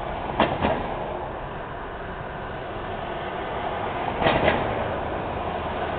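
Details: Loose manhole cover on a Montreal street, repair required: two sharp double metallic clunks about four seconds apart over traffic as wheels cross it; loose manhole cover clank.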